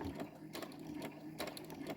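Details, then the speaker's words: Brother CS-100 sewing machine after a new casing was fitted to fix thread catching: quick, even needle chatter with light ticking and no binding. It stitches fine on top and bottom, including in reverse; normal running. "See, it's stitching fine on top. See, I reversed it earlier. And then reversed here. And then it's stitching great on the bottom."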